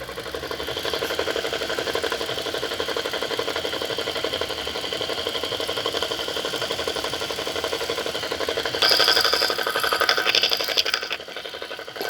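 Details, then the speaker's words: 2016 Toyota Corolla: fast, fairly even ticking knock, about four per second, over the running engine near the alternator; the intermittent knock happens cold or warm and comes and goes for hours; source unconfirmed. "bem, eu tô querendo gravar aqui um vídeo, porque o meu carro tá com barulho intermitente que vem do alternador e eu queria mostrar aqui esse barulho porque olha que eu quero mostrar para alguém, eu não consigo mostrar."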